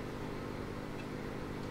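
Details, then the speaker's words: AM radio fitted with an FM receiver module powered from the 6.3 V winding: constant low buzzing hum under faint hiss, like bad smoothing capacitors; supply ripple leaking into the set. "I don't know if you can hear is we have almost what sounds like you know bad smoothing caps in the power supply so that"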